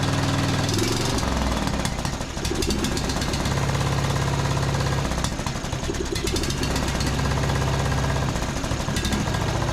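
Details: John Deere D110 riding mower, brake set, after carb spray into main jet: engine chugs unevenly, stumbling about twice a second; misfire possibly due to spark plug only hand-threaded in, plug pulled and gapped.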